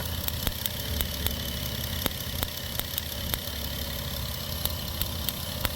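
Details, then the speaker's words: 2008 Dodge Grand Caravan with an engine stumble: irregular sharp snaps over an uneven idle as spark arcs out of the ignition coil boot, visibly glowing; misfire needing a new coil and spark plugs. "Anyway, so I can actually hear it. Sorry about the chime. I can actually hear the misfire."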